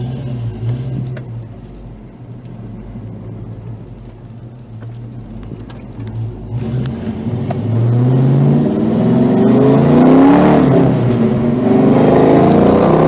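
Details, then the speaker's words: Mustang on test drive after a Wix 3397 fuel filter replacement, manual shifting: engine pulls smoothly through the revs with clean, even shifts, no knocks or misses; works just fine. "all there it is looks like it works just fine um yeah all right"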